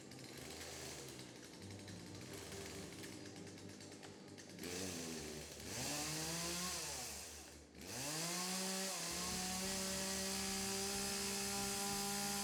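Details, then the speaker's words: Chainsaw that idles but won't take throttle, run with choke and primer: each throttle blip climbs briefly then sags and bogs instead of revving up. "He said it'll idle. But you go give it throttle, it sounds like it wants to bog down."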